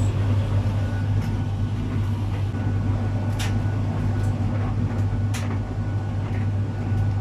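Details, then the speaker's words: Arçelik 3891 KT 9 kg heat-pump clothes dryer just after starting a cupboard-dry program: steady, even low hum, no knocks or scraping; humming is normal for dryers; normal running hum. "arkadaşlar çamaşır kurutma makineleri mutlu çalışabilir yani Uğultulu çalışıyor normalde sadece bu makine için değil diğer kurutma makinası için de geçerli"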